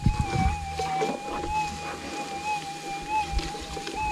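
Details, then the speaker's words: GPX6000 metal detector in noisy Warwick ground on normal ground type: steady threshold hum with wavering swells and chirps as the coil sweeps; ground noise breaking through, needing a more stable ground setting. "the problem is you don't know what's a noise and this is the problem with normal ground type here in warwick is that you need a stable threshold"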